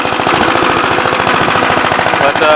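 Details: "Big Blue" 53 L single-cylinder engine after a plate patch on the cylinder, running outside in wind on a 24-degree morning: quick, even popping at about fourteen beats a second, no misfire or knock. It has oil pressure but leaks at the oil pump and its intake hose fell off.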